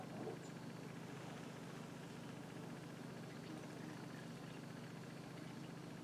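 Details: Craftsman lawnmower after clearing an air block in the fuel line and refilling it with gas: the small single-cylinder engine holds a steady, even run at moderate speed with no misses or surging; running normally.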